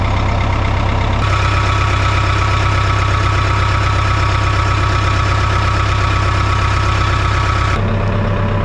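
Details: 1988 Caterpillar D4C bulldozer diesel after a new battery and a fix to a wiring connector: deep, even idle with a steady beat and no knocks or misses. Normal healthy idle.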